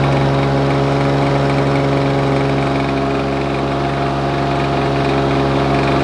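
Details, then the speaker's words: Lawn Boy mower: steady, high-pitched buzzing drone with no hunting. Owner wonders if it is running too fast and points to a small adjuster; high engine speed, unconfirmed. "perhaps it's running a bit too fast now I wonder I do wonder if that's running a bit too fast now it might be"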